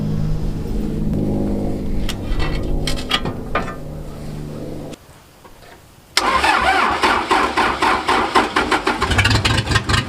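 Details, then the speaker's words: Case six-way blade bulldozer diesel that sat outdoors all winter for months cranks, dies briefly, then catches and runs with a loose, uneven metallic exhaust rattle over the revs, side covers off to locate the rattle before its service. "i'm probably going to start it up and see where the exhaust rattle is actually coming from"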